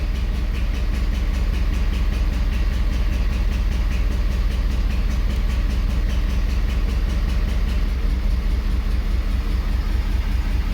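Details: 2011 Ford Super Duty 6.7L Powerstroke diesel at idle: uneven loping beat about 150 per minute as cylinder number 6 barely contributes; misfire traced to low compression.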